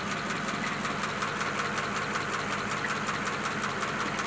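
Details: 1941 pickup idling after the wet no-start was cured by compressed air and a heat gun on the distributor, with steam coming off the manifold: steady, even idle with a soft regular pulse, no misfire or knock; running fine.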